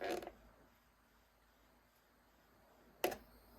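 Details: Standing desk model CPT007-V2-BK gives two short, sharp intermittent chirps or creaks about three seconds apart, with near silence between them.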